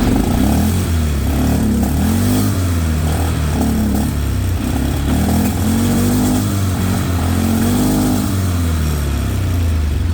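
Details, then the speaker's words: 2001 Polaris Sportsman 500HO single cylinder, earlier misfiring badly, after rewiring to a new handlebar switch (CDI box and key switch already replaced): revs up and settles cleanly with an even beat, running smoothly now and kill switch works. "So, let's see if the thing starts will run on the new switch. So on on here. Okay, it's running."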